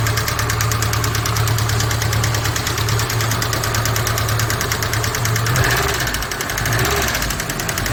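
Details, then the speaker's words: Lada Niva, 166,000 km, due a timing chain, started cold: quick, even ticking over the idle from the top of the engine; hydraulic lifters tapping. "И также присутствуют посторонние звуки при работе двигателя, особенно на холодную. Но это гидрокомпенсаторы."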